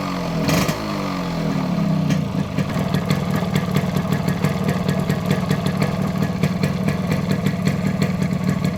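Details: Modified Yamaha RX100 two-stroke with imported carburetor and Indonesian RX King CDI unit: crisp popping settling into a steady fast beat after a blip, picking up cleanly without cutting out; running healthy.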